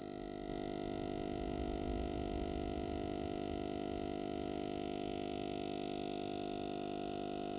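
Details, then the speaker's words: Power Jack 15 kW inverter in failsafe mode: a steady, buzzy hum with a stack of high-pitched tones and a fast, even flutter. Abnormal tonal noise, cause unknown. "okay so this is that failsafe mode I was telling you about and I don't know how well you can hear this but I'll try to get the camera in as close as I can"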